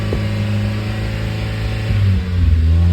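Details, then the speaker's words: Mazda Miata with code P0118, the coolant temperature sensor reading -40°F: idle hangs high, shaky and climbing past 2000 rpm with uneven rises and dips, caused by the faulty coolant temperature sensor circuit. "Shaky. Doing a lot out there. 2000 and climbing. Stopped shaking, but it's still going up."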